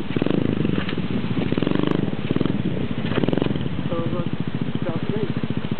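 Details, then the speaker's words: Honda Cub clone single-cylinder idling with a homebuilt, shorter, quieter, low-back-pressure muffler made from the stock one: an even, steady putter with no misses, knocks or rattles and a soft exhaust note. It sounds healthy. "It's hard to tell how loud it is in the video, but it sounds good."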